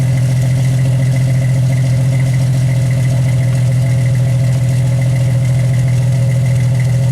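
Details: 1991 Jeep Wrangler YJ idling after a cat-back exhaust replacement (new muffler, tailpipe and clamps replaced a holed system). A deep, smooth, steady idle with no puffing, ticking or rattles from leaks; exhaust sound and tight, no more fume smell.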